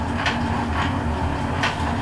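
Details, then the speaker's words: Alba 1A metal shaper under power: steady rhythmic click-clack knocking in time with the stroke, rattling from deep inside; owner believes the rocker arm is shifting over the bottom pivot pin, unconfirmed. "believe it's the rocker arm shifting over the bottom pivot pin."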